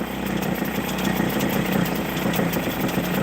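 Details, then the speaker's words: Hangkai 6hp two-stroke outboard just after carburetor rebuild on fresh fuel. Buzzy idle winds up and back down instead of holding steady. Owner suspects the low idle set screw is off, possibly air-fuel mixture half a turn off. Hunting idle. "Okay, you hear how it's winding up and back down like that? That means I have the low idle set screw a little bit off adjustment."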